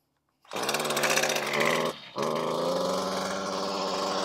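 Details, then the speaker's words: Stihl FS56RC string trimmer at full throttle: engine revs hard, drops out and sags, then recovers to a strained, uneven high speed; bogging at high throttle, checked before cleaning the carburetor. "so what sounds like it's bogging down on high idle"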